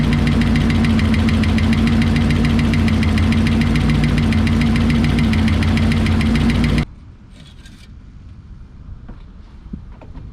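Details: 1968 Lincoln Continental 462 V8 after oil change to Rotella diesel oil, idling, checking if ticking subsides: steady fast light tick over the rumble; valve train tick, owner suspects oil-related, cause unconfirmed.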